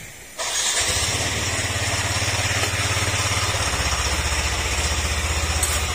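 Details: Yamaha NMAX 155 version 1 before engine overhaul, still noisy after a previous shop repair: idle carries a metallic clatter that follows engine speed, from a worn crankshaft bearing knocking.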